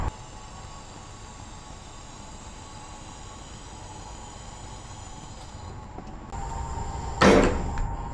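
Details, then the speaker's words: Grey Ghost car on test drive after rear-end gear work with fresh fluid: steady road drone then one sharp heavy clunk from underneath as load shifts; driveline clunk persists, repair didn't fix it, cause unconfirmed (transmission or binding suspected). "no still doing it that didn't fix the problem still doing it as you could hear on the video"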